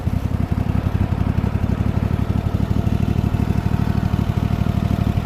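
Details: Craftsman T8000 riding mower after rat's nest cleanup, on very low idle; low, slow even thump with no whine from the transmission, normal idle.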